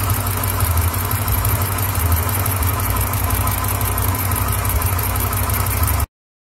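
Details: Hemi V8 with only 37K miles at idle: steady idle with a dull knock low in the engine and a faint tick above it; bottom-end noise of unknown cause.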